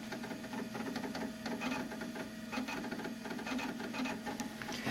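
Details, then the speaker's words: Macintosh SE running System 6.0.8, quick disk check after an earlier crash: fast irregular clicking and chattering over a faint steady hum as the hard drive seeks normally. "I'm gonna guess System 608 is too old to do an automated disk check. Not that it should need one, since it did gracefully crash, so... Oh no, it is doing a quick check. There we go."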